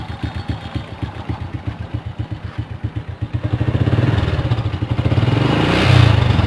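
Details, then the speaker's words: Well-kept Honda Supra motorcycle after 3 days on Mesran Diesel B40 oil mixed with cooking oil: an idle with a dry, harsh ticking about four per second at the camshaft that stays as revs rise, so rough valvetrain noise; the cooking oil is suspected. "Ini kasar banget suaranya. Kalau ini sekarang suaranya ini cukup kasar ya, kayak kering gitu."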